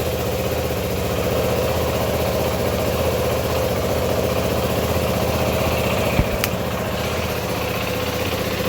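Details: 2012 Yamaha WR450F, around 5,000 ft elevation, warm and idling after a hard cold-starting issue was fixed: steady, even single-cylinder thump with no misses or knocks; engine running healthy.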